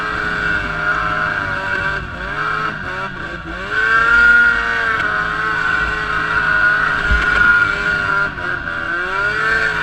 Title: Etec 800 Misfire